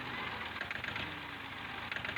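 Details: Diesel tractor at idle, said to be running on only two cylinders: fast, uneven clatter with sharp knocks, one cylinder rough; mechanic starts loosening injector (nozzle) pipes one by one to isolate it; knocking.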